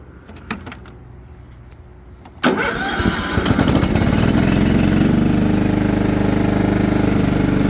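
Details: John Deere LT150 with swapped-in replacement 15 HP Kohler engine, mowing grass: catches after a few seconds, steady even chug holding under mowing load; does well, ready for sale, normal running under load.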